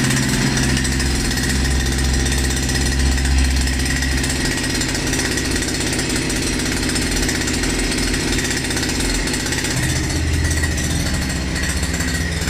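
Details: Russian URAL MASH 5.7 hp brush cutter, new, during first run and break-in: small two-stroke holds a steady, even buzz with no surging or knocking throughout; normal, healthy running.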